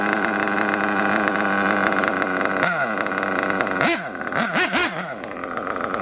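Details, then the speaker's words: RC monster truck nitro engine after setting carb idle gap and leaning the needles: high buzzing idle, throttle blips drop straight back without running on, some load-up acceptable; well tuned. "that's much better than it was it's not running on like it was we'll just give it let it sit a little bit still took off pretty good it'll always blow up a little bit but you don't want it to load up so much that pills"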